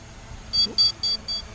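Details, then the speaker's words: SG906 Beast drone on its first flight. Four short, high, even beeps about four per second over a quiet background: the low-battery warning as it heads home. "You can hear it beeping away again. As soon as it hits low battery, it basically turns around, flies back and lands."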